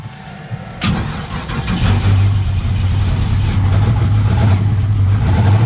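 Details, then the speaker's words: Turbo LS V8 that idles but falls over under load, with a new coil, new crank trigger and swapped carburetor, still catches into a lumpy idle with a repeated stumble; one cylinder is dead and misfiring, cause not found. "Still sounds like crap. Still missing. Still got a dead hole."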